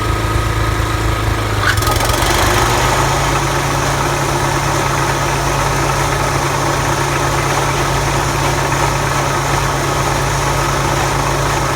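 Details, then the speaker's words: Toro TimeMaster 30in mower running with blades engaged; belts struggle to bring the blade spindle up to speed, then a loud, rough rubbing noise near the belt area and mow deck over the engine, from a failed blade spindle bearing. "we will be diagnosing a loud rubbing sound near the Bel area and mow deck on this 30in T Time Master if you can see the belts are having a hard time getting the blade spindle and moving up to speed when it does get up to speed you hear a loud noise like parts are"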